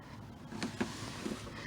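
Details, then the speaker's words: 1995 Ford Mustang GT convertible top system, ignition on, switch flipped from closed position to the right, voltage going -12 V back to zero: a few crisp relay clicks against quiet background; relays, wiring, fuses and switch working normally. "minus 12 volts back to zero and you hear the relays clicking"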